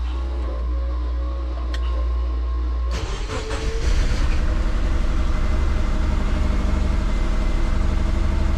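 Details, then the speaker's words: Twin-turbo Subaru Forester with injector issues, after spark plug check: cranks, then lumpy uneven idle with irregular chuff as if running on three cylinders; engine misfire suspected, cause not confirmed, still sounds the same. "It does sound like it's running on 3, so let's start it up and see how we go."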